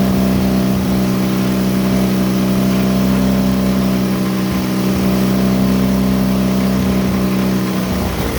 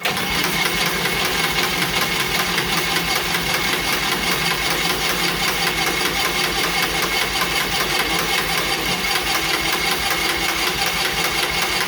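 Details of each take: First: John Deere Model R tractor pony starting engine, first start after head torque and new plug wires: fires and settles into a steady, even drone with constant pitch, no knocks, misses or rattles; normal running. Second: John Deere Model R pony starting motor, first start after reinstall: steady, even cranking about 2.5 beats/second for twelve seconds, never fires. Fuel valve not fully on, ether added; owner suspects fuel on-off valve position, unconfirmed. Cranks but won't start.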